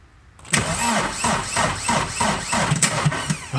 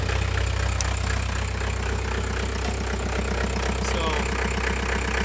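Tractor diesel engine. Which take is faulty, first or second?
first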